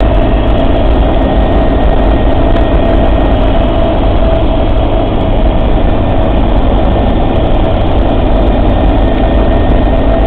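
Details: Suzuki Samurai: steady engine drone with a thin constant whine from the transfer case; cause unknown.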